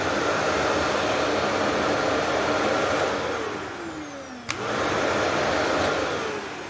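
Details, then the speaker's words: Shark Navigator NV35226 upright vacuum sound test: smooth steady roar winding down with falling pitch, a click, then spinning back up evenly; normal vacuum motor run. "Boy, that sounds like it's brand new out of the box, ladies and gentlemen, huh?"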